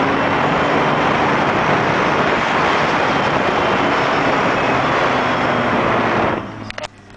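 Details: Mazda MX-6 KL-ZE engine held at steady high revs with a constant whine over the roar, dropping away as the throttle closes; cause unknown, owner seeking help.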